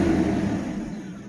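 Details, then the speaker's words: 1997 Mercedes S600 V12, first start with the original ECUs and drive authorization module reinstalled: smooth, even low rumble with no misses. All 12 cylinders running; it idles smoother than with the bench-tested ECUs. "Oh, it runs. Very nice. All 12 cylinders are running. Just want to see the RPMs. Yes. That is nice."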